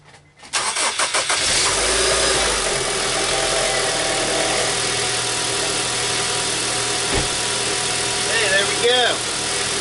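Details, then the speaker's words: 2003 Honda Civic after alternator replacement: engine catches within a second and settles into an even, steady idle with no whine, squeal or rattle. Earlier noise gone, normal start and idle. "no more noise"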